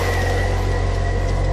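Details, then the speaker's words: 2005 Ford Escape 2.3 liter 4-cylinder struck by lightning, barely running after start; constant high-pitched alternator whine over idle as it overcharges at full output with abnormal system voltage. "Look at the voltage that it's running at. Absolutely nuts. And here the alternator's on full blast, whining away."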